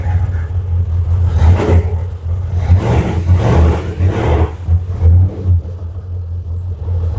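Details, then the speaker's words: 2000 Jaguar XKR X100 first start in over a year after inclination sensor replacement cleared P1260 immobilizer lockout: loud open unmuffled rumble surging and sagging unevenly, engine stumbling at idle and dying. "Hey, the car's running. What's that been? A year? Over a year? The only thing I did is I've connected all of the shock absorbers back on. I plugged them in. I plugged in the ABS sensors, so everything's plugged in. Oh, it's dying."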